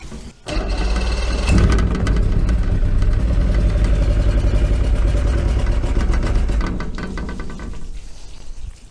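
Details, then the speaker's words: Force 120 hp two-stroke outboard, evaluation start on premixed fuel: catches at once and settles into a steady, even burble with clean firing, no knocks or misses. "sounds pretty good to me"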